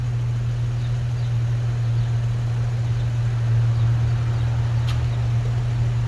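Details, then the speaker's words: Subaru Outback 3.6R, 260k miles, at idle after new mufflers (Walker Quiet Flow left, OEM Subaru right): smooth, even low hum, no puffing or ticking from joints; quiet, no exhaust leak. "here's what the uh subaru muffler sounds like quiet they're both quiet so the walker is pretty quiet that thing is a quiet muffler"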